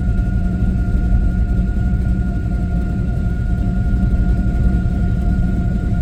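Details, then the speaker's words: LS-swapped Monte Carlo V8 after adjustments for suspected lean running or timing: deep, steady idle at a slightly raised speed, smoother, even beat with no misses; normal idle. "definitely likes that little higher that higher idle"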